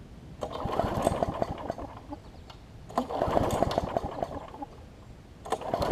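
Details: Bolens self-propelled push mower with about a 4.5 hp Briggs & Stratton, primed: repeated pull-start bursts that never fire; no spark because the ignition coil was gapped too far from the flywheel, later regapped and it runs.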